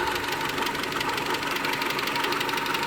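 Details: 2001 Mitsubishi Galant 2.4 4G64 petrol idling smoothly with a fast, light steady hydraulic lifter tick; possible causes named: oil pump gear misaligned at timing belt service, coke buildup, overfilled foamy oil.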